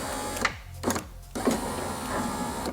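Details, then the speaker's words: 20-year-old VW Beetle V5 Sport, power window motor tested on the bench before refitting: short whirring runs with clean starts and stops, no grinding or strain; working normally. "yeah boy that works nice"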